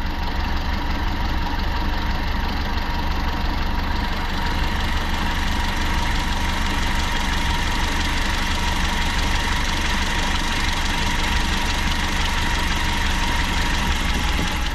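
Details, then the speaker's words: Toyota Liteace, 5K engine, idling just after ignition timing set to 8 degrees BTDC, carburetor air-fuel mixture screw not yet adjusted: idle wavers and shakes with an uneven pulse of about three beats a second; rough idle from incorrect carburetor mixture. "At yan, medyo mangatal pa yan kasi di ko pa ginalaw yung carburetor."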